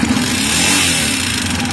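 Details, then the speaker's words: Minsk X250 enduro single with used cylinder and new aftermarket piston, rings and pin: quiet at idle but sharp metallic clatter from the top end when revving, growing with throttle; owner suspects the Chinese piston parts, not confirmed. "металлический такой вот спяк какой-то вот хер пойми именно сверху он идет такого быть не должно"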